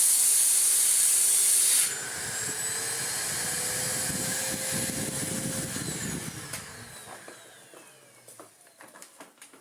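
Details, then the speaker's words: Electrolux D820M (Lux 1 Royal) vacuum after restoration with new front and post-motor filters, minimum setting: strong, even rushing whine with steady airflow, then a smooth spin-down with no grinding or rattle; motor running normally. "it all works really well, and the motor sounds mint, which is excellent news."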